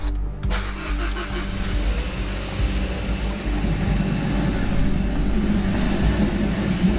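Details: 2013 Kia Ceed GT with a replacement engine, starting after an attempted fix: lumpy uneven idle with stumbling beats, still misfiring; cause not found.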